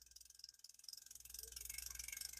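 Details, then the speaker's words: Shakespeare 2052 "Royal Maroon" ultralight spinning reel from 1966, cranked by hand during repair: quiet rapid regular ticking rasp rising with handle speed, a slight knock; suspected bearing, judged smooth enough to fish and expected to improve with use. "It's smooth enough where I'd fish with it not even paying attention to that. Whatever's doing that will go away. It could be that bearing. You hear it? I believe it's a bearing."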